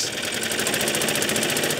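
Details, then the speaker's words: Suffolk Super Punch/Colt lawnmower (75G14-25A) after basic maintenance; on throttle-up the centrifugal clutch won't engage and the mower won't move, fast ticking pulses over a strained engine note; owner suspects something binding; engine labouring under load. "When I throttle up... ...it just will not engage with that centrifugal clutch. But i can kind of hear the engines struggling, like it's"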